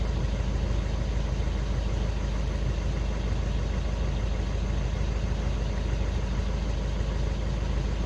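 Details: VW Golf 6 after crankshaft sensor replacement for P0335 no-start/hard-start fault, faults cleared: low even rumble, steady with no misses, knocks or hunting; smooth normal idle.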